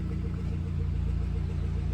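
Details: Suzuki Swift Sport ZC32S at idle: light, fast ticking about eight times a second over a low idle rumble; top-end tick, dealer technician says not catastrophic and suspects tappets or camshaft, unconfirmed.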